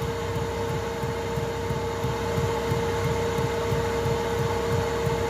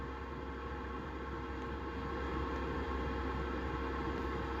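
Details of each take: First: Chinese 2 kW 12 V diesel heater in a VW Transporter T4, boxed in, running at full power before the fuel pump noise fix: a steady hum with a regular low thud about three times a second as the pump knocks against its housing. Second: Chinese 2 kW 12 V diesel heater in a VW T4, fuel pump after the noise fix, boxed in and running at about half power: only a faint, even ticking about four per second under a low hum; quiet pump with no thudding through the mount.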